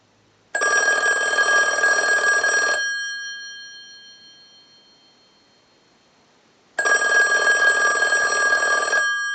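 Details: 2500 desk telephone on final checkout, ring cycle sent from a telephone analyzer like an incoming call: two clean, strong rings about two seconds long, roughly six seconds apart, each ringing crisply; bell works properly.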